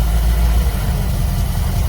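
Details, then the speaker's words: Small-block Chevy V8 with an Edelbrock carburetor, electronic ignition and fuel pump, idling untouched after key start: steady even low idle continuing without stumble. Normal idle. "Okay, so that's two small block Chevys with that Edelbrock carburetor on them. I didn't do anything. I turned the key. They just run so good."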